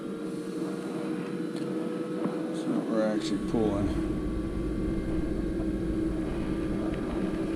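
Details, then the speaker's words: Carrier Infinity propane furnace after dead birds removed from flue pipe, pipe held in place: steady, even inducer hum holding pitch without ramping, then igniter; normal inducer operation, furnace fires. "definitely going to fire now because it's not ramping up like it was waiting for our [Music] igniter"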